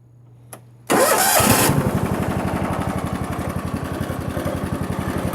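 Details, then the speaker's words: John Deere LX172 lawn tractor, sat unused likely over a year, started after repair: quick crank, catches at once and settles into a steady single-cylinder putter of about four beats a second. It previously stalled before the first throttle notch and now revs fine. "You couldn't even get to the first notch without it wanting to stall. Now it revs up perfectly fine."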